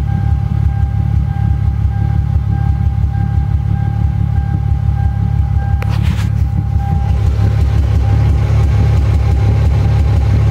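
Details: Toyota JZX100 1JZ petrol six, warm and off throttle: uneven lumpy low idle with an occasional sharp pop; rough idle with popping.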